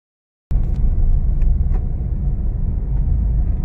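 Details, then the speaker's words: Honda Mobilio cruising on smooth asphalt on the Pantura route after the loose stabilizer link was tightened. There is an even low road rumble with no clunking. The suspension is normal and quiet. "kita dengarkan suaranya sambil jalan sudah tidak ada suara geblatak ya Nah ini halus sekali nih apalagi di jalan yang halus seperti ini ya"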